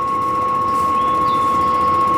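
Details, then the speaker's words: Propane appliance in an RV travel trailer unused for two years: steady high ticking buzz with a whistle-like tone; igniter striking repeatedly while air purges from the gas line before lighting. "there should be a short delay here 10 15 seconds and it should try to ignite i hear it striking"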